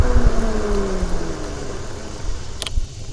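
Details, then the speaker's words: Eilleo SpaceWalk M7 electric bike, after swapping to copper-containing mechanical disc brake pads: only motor hum and road rumble while braking, no horn-like squeal or grinding; quiet disc brakes. "Nice, quiet, decent set of mechanical disc brakes."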